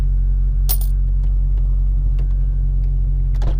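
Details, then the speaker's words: 9th-gen Honda Civic Si with new Hasport 70A rear motor mount, GoPro in cabin at idle: steady low rumble with faint even buzz, a few light rattles from a water bottle; mild engine mount vibration. "So as you can hear, it's a little rattle, tiny bit. Ain't nothing too crazy."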